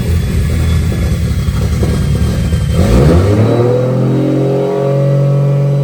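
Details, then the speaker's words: Junkyard 2JZ-GE VVTi with cheap T51 turbo in MX83 Cressida, freshly started on Haltech ECU: revving with shrill rising whistle from the turbo's open speed-sensor bung and occasional exhaust stumble, noted as a little miss; turbo whistle with slight misfire. "has a whistle on the T as well cuz I got the um the speed sensor bung out it's like the cheap cheat t-51 arm move the speed sense and they whistle their heads off so whistly has it's screaming"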